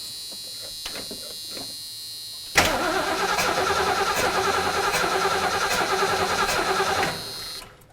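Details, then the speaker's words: 1972 Ford Mustang Mach 1 that died from old gas, cranking fast and unevenly without a fuel tank hooked up, sharp puffs back through the carburetor; plug wire off or stuck-open valve suspected, unconfirmed. "sounds like it's puffing back through the carburetor which is a uh concerning thing for me you think maybe we got a plug wire off somewhere uh that would be puffing through the carburetor is a valve stuck open"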